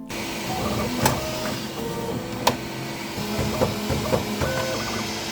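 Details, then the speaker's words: Bambu Lab P1S 3D printer doing its pre-print calibration, with the nozzle wiping at the poop door and the bed and extruder head making resonance passes: irregular whirring and buzzing that shifts pitch, with sharp clicks, which is normal and totally fine. "Calibration before every print will also make some noise. When the nozzle wipe on the poop door area, when the bed and extruder head is doing some resonation calibration passes, you will hear noise like this."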